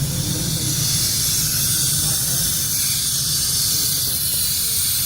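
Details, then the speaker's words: Workshop air compressor just after power is cut: steady loud hiss with low rumble, no motor running, pressure dropping immediately; suspected faulty intake check valve. "okay so it's immediately dropping pressure [Music] [Music] [Music] when we kill the power yeah is dropping pressure this is the part we don't understand"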